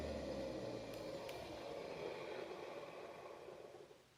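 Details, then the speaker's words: 2003 Hoover TurboPower 5000 vacuum, carbon brushes at roughly 25–30% life: after switch-off the motor hum drops smoothly in pitch and fades over about four seconds with no scraping or grinding, a normal wind-down. "the wine down so I wanted you to hear that that's actually normal for those of you that are wondering"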